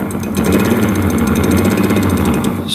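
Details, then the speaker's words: 1989 Yamaha Big Bear 350 4x4 ATV, starter reassembled after cleaning: slow, labored, uneven whirr never picking up speed, works when tapped; weak starter motor, brushes not making good enough contact. "see how you tap it and it works see that look like it has to get going so yeah those brushes aren't making good enough contact to keep that thing going"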